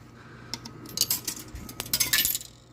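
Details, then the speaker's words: Repaired vintage Coke machine, coin mechanism (20-cent vend): a dime clinks and rattles down into the return, rejected again; the cause is unknown, and owner suspects it may only accept nickels. "and it rejected it again so it does have one of my dimes though"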